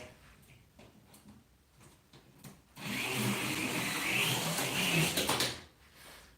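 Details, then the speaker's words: Yellow slot car on the track: harsh whirring grind, like rubbing, for a few seconds through the turns; cause unclear, pin height suspected. "this yellow car makes an awful noise going around the turns like it's grinding or something like you hear it like rubbing"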